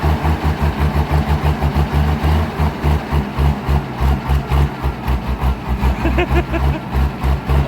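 Deep, even diesel chug with a steady low throb and no missing beats; the grader's engine is idling normally.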